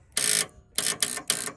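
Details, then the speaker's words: 1984 Fox Body, 40k original miles, sat 20 years, cranking on jumper pack: short buzzing clicks in quick bursts, no cranking; suspected bad battery connection, later cleaned. "I'm gonna say it's a bad connection."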